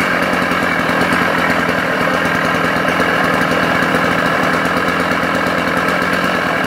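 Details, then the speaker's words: Vintage West German Sachs Dolmar 133 85cc two-stroke chainsaw, about six horsepower, restarted after reassembly: steady high-revving buzz with a dull rumble from inside the engine; engine now noisy, cause not pinned down. "but like I say it's it's desperately disappointing to have the this Rumble coming from the coming from the engine"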